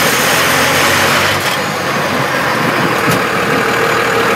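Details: 1998 12-valve Cummins diesel, 5-speed, phone zip-tied under truck, lugging at 950–1250 rpm in 4th and power-braking in 3rd: busy irregular rattle over engine noise; source unknown.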